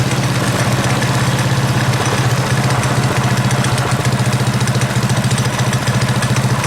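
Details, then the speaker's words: Predator 212cc single on KT196 go-kart with advanced ignition timing, idle screw just turned down: steady, modest, even putter with regular firing and no misses or knocks; healthy idle, throttle now more jumpy and twitchy than before. "Lower that idle speed just a little bit. Wow, okay. It's much more jumpy, twitchy than it used to be on the throttle there, so."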